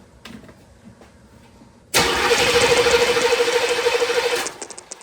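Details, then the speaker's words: Hot no-start on a C4 Corvette: the starter cranks steadily for over two seconds at about three beats a second, but the engine never catches. There is no spark, traced to a cracked distributor feed wire. VATS and injectors were checked with a Noid light and code 12 was read. "Go to crank it, nothing. I mean, it cranks, it just doesn't start."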